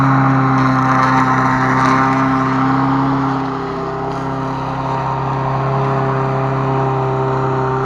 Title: косилка после ремонта